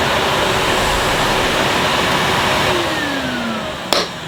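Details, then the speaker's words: 2005 Numatic Edward Turbo vacuum with turbo electric head on carpet, vent closed: strong steady suction roar with a soft brush whirr underneath, then the motor note drops away; head very quiet, working normally. "Yep, it's very, very quiet, the turbo electric head. In fact, you can hardly hear that it's on."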